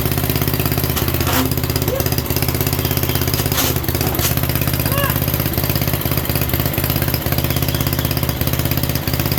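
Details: 1967 Unico 7hp tractor, first run in 27 years (since 1995) after carb clean and rebuild, fuel valve left open: steady even low chug with no misses or knocks, firing cleanly and holding a smooth idle; normal running.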